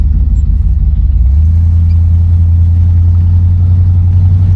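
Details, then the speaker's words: 1975 Buick LeSabre convertible, 350 V8, automatic, on test drive: low exhaust rumble steps up smoothly as throttle opens, no stumble, misfire or knock; throttle response decent. Normal acceleration. "Throttle response is decent. As soon as I hit the uh pedal, she's ready to go."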